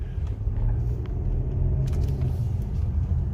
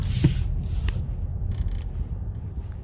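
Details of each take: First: Car with customer complaint of clicking when driving slowly or braking; road rumble with dull thumps half a second apart as car slows: a loose vitamin water bottle rolling back and forth under the seat, not a mechanical fault. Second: Car with clicking complaint when driving slowly or braking, road-tested after loose golf balls and debris were cleared from the cabin: only low, even road rumble while driving slowly, no ticks or clicks; normal quiet cabin.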